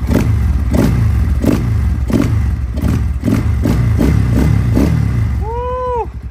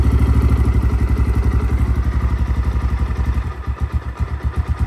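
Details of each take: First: XPro Templar X 250cc dirt bike, cold, idling after a 30mm Nibbi carburetor install and throttle cable and idle RPM adjustment; loud, even thumping idle with steady beats and no stumbling, healthy, though previously hard to idle cold. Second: XPro Templar X 250cc dirt bike with new 30mm Nibbi carburetor, idling cold after throttle cable and idle adjustment: slow loping single-cylinder thump about four beats a second, sagging toward stall. Idle set too low.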